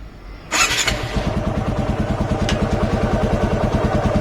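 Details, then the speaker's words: TVS Apache RTR motorcycle, cold start after a workshop service, idling around 1000: fires immediately, then settles into an even thumping idle at about three beats a second with no dips or stalling; normal cold start and idle. "अब ये देखिए कोई down नहीं मार रही गाड़ी और मैं गाड़ी चला के लाया था तब मुझे कोई डाउन नहीं म इंजन की आवाज सुनिए कोई आवाज ही नहीं है इंजन की"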